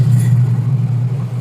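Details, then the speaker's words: Washing machine after repair: gear case shaft cleaned, wash motor and gear case pulleys realigned; the earlier steel-scraping noise is gone, leaving a smooth, steady low hum with no metallic rubbing; normal running. "Wala ng ingay. Wala na yung ingay na parang nagkakayod ng bakal."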